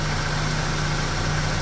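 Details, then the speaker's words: Nissan Pulsar engine idling while the AC is recharged during a slow-leak check, gas going in and pressure building: steady low idle with an even hum from the engaged compressor pulling hard under load, no rattles or squeals; compressor working normally. "You can hear the compressor taking in the taking in the gas. And the compressor is working its ass off now because it's it's actually got some resistance in there."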